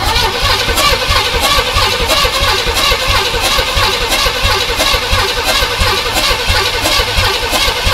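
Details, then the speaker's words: Imported non-running GMC Vandura V8 van, first start: loud rough running with slightly uneven pulsing beat about one and a half per second, a gallop; owner suspects sticky lifters. "turning there's a little bit of a Gallop there isn't there H I think we might have some sort of lifters sticky right"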